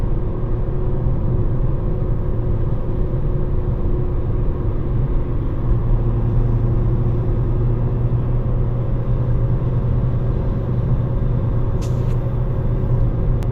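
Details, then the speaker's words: 2014 Ford Fiesta Ambiente 1.4 Duratec, owned 10 years, cruising on the old tyres before they are replaced with Radar Dimax Sprint: a constant low droning road roar, reference tyre noise. "Let me drop the rev counter so that we listen to the noise levels on these tires, the mix that we have right now, and we're going to compare it later to the Radar tires after we change them."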